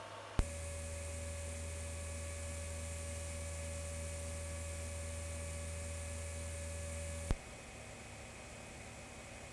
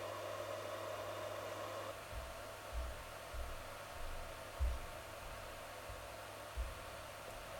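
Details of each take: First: Voxelab Aquila 3D printer after swapping the PSU fan for a Winsinn 60x10mm 12V silent fan. Steady low hum with a faint airy whoosh, no rattle or whine; the PSU fan runs quietly and evenly. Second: Voxelab Aquila 3D printer's stock 60x10mm power supply cooling fan, before swapping to a Winsinn silent fan, kicks in with a loud steady airy whoosh, faint hum and thin tone, now more noticeable since the hotend and motherboard fans were replaced with quieter ones.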